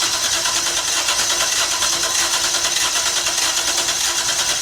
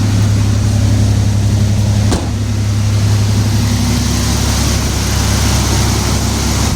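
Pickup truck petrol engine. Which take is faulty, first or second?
first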